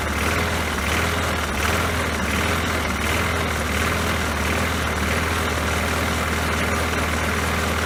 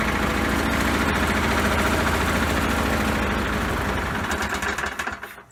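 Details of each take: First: Poulan Pro mower that had been sitting, after refitting the forgotten throttle spring: steady unbroken single-cylinder putter holding one speed, no surging, misfires or knocking; runs healthy. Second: Poulan Pro mower that had been sitting, run with the wrong air box and no air filter: rough, uneven, lumpy beat about three times a second, hunting instead of holding speed, then dies; rough running because the throttle spring was missing.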